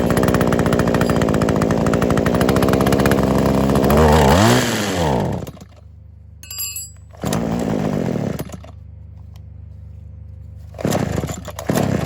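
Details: Kawasaki KHT600D hedge clipper small two-stroke after new fuel lines, primer bulb, fuel cap, grommet and tune-up, primed with choke on: fires and buzzes steadily at high speed, drops off, stalls and restarts in short bursts; sounds healthy.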